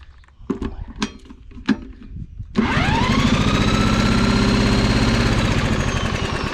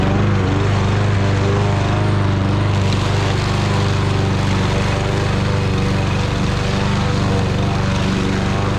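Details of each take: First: Fairly new Troy-Bilt mower that won't start, spark confirmed, valves suspected: a few taps, then a steady whir as the engine spins over evenly with no firing; cranks but won't catch. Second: Fairly new Troy Bilt lawn mower with low compression, previously a no-start, running after its tank was drained and its carburetor cleaned: steady, even buzzing drone under load in thick grass, no misses or surging; running better than expected.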